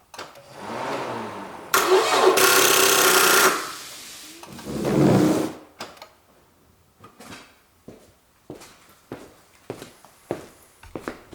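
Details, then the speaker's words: Toyota Camry failing to start: short groan of cranking dies off as drive belt stops, then scattered light clicks and electric buzzes; suspected weak battery or corroded battery or starter cables. "now we notice that this my drive belt stops, and also we heard some another different clicking and electric sounds, and that means now that I have maybe this weak battery or then corrosion in these battery cables or in this starter cables."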